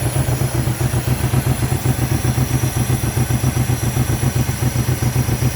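The idle pulses about four times a second with uneven, lumpy beats and occasional dropped pulses, a random misfire traced to failing coil packs.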